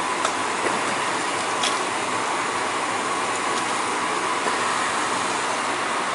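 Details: Gas boiler after flue vent damper replacement with end switch fixed, running during Testo 320 combustion test: steady, even burner roar, no surging, popping or rumble; combustion numbers fine, firing cleanly.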